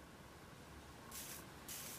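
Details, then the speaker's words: Four-channel amplifier from a 2004 Volvo XC70 that was submerged in water while running and caught fire, powered on the bench: two short, sharp sizzling hisses as it arcs inside the board through an internal short beside a pin, with visible bubbling. "I can hear a sizzling. Oh yeah, I can smell that."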